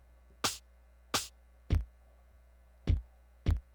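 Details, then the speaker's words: MPC sampler pad playback: five pad hits with uneven attacks, some thin and poppy instead of full, an extra pop on certain sounds; output dropping or crackling, owner plans to route audio through a PreSonus AudioBox USB interface, cause not confirmed. "see how it's popping it's popping on this one hear that extra pop so there it is you hit that extra that's definitely not how that sound sounds"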